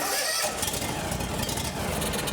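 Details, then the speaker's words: John Deere X350 riding mower, sat for years after failed repair attempts, given starting fluid after it would not start: engine catches with a rough, uneven sputter for a couple of seconds, then fades and stalls. "Ooh, we got some movement. It runs."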